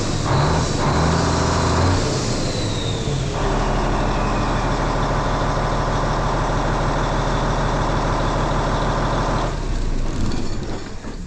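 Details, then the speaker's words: N14 Cummins diesel idling after cam job with new cam bearings and followers and valve train adjusted: steady even rumble with some air release, no valve train ticking now; normal idle. "damn weather I'm telling you hear no ticking now we got it"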